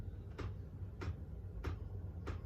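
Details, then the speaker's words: Chinese diesel heater after pump replacement for error E-08: the fuel dosing pump clicks sharply and evenly about every 0.6 seconds over a low fan hum as the pump symbol comes on; normal fuel pump operation, heater runs. "brilliant there's the pump symbol come on and we can hear the pump clicking away there"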